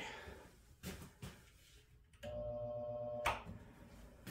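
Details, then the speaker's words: Three-phase motor powered from single-phase supply, no converter or capacitor start: steady low buzz for about a second, shaft doesn't pick a rotation and just balances, no start; single-phasing hum that can burn motors up. "could you hear that it went it just kind of it just buzzes and it doesn't pick a rotation the shaft just kinds of balances I'll do it again okay no start"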